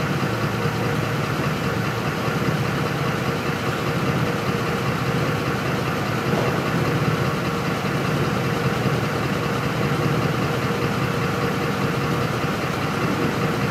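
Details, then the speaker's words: 2004 Ford F-150 5.4L V8 that stalls when hot and won't restart until cool (pump and rail pressure sensor already replaced, codes P0191, P1233): deep idle with lumpy uneven undertone, fuel pressure erratic around 9–10 psi; rough idle from faulty fuel pump driver module. "I'm going to let this thing die real quick this pressure just all over the place it's actually running on its own right now"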